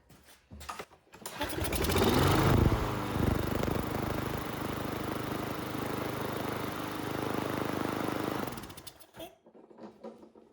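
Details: Troy-Bilt mower small engine after carburetor cleaning and reconnecting fuel with no leaks: fires after a couple of pulls, runs evenly at constant speed for about six seconds, then shuts off; normal running.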